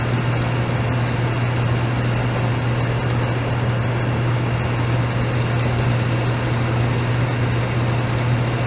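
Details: DE-N35FY clothes dryer after a fix for a bad abnormal noise: belt replaced, disassembled, cleaned and oiled. Smooth, even hum with a steady low drone and no squeal, knocking or scraping; the dryer sounds healthy.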